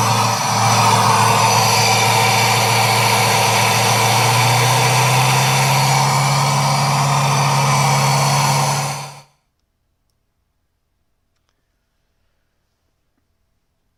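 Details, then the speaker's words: Joe's 1969 Camaro V8 on Holley Terminator X base tune, second crank after full oil prime: even, elevated idle with loud intake rush until shutoff; idle air control valve stuck open. "you could hear it changed the way the sound, the air going into the throttle body was. So the IAC is stuck open."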